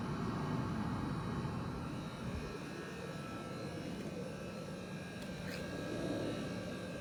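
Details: MG4 with AC on: low steady drone with faint rapid pulsing about four beats a second, seeming to come from the left-hand side under the hood; owner assumes abnormal, source unknown.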